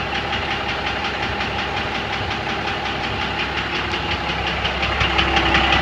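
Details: 1997 Dodge Cummins diesel at idle, knocking since last week, with some fuel in the oil but no metal shavings and the lift pump seemingly good: sharp, even knock almost three times a second over the clatter. Injector knock is suspected.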